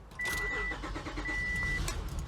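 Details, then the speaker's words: Cold Honda Pilot petrol engine just after start-up runs lumpy and stumbling, struggling to stay running; improves as it warms; owner suspects hissing vacuum leak contributing. "you can hear it struggles to even it's running pretty darn bad it does get better as it warms up"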